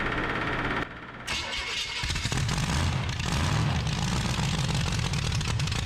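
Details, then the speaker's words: 1974 Dodge D100 with a 383 big-block V8 and solid lifters, new headers, cold morning start: brief crank, then a deep, steady, even idle with a firm exhaust beat, no knocks or funny noises; idle could be raised slightly. Normal idle. "better turn your idle up a little bit huh yeah sounds pretty good though sounds good do it huh yeah no funny noises"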